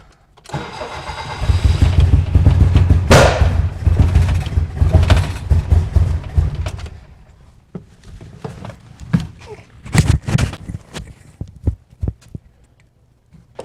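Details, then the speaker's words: 1972 BMW 2002 at first fire-up, arrived spitting and sputtering: cranks, catches, runs lumpy, then falters into irregular pops and won't re-fire. Rough running, cause unclear; seems fuel-related but maybe not, coil to be checked. "right you guys probably definitely selling that shot that uh I'm you know walking using you to see where I'm going that it it wasn't happy so that that was just earthquaking you know earthquaking around uh not 100 sure on what it is yet um sounds like it's sounds fuel related but not really"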